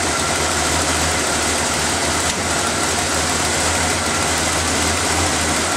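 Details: After refitting the intake's vacuum lines, air filter and cover, the petrol engine is started to listen for hissing air leaks: steady, unbroken idle drone with no hiss or tapping. It sounds healthy.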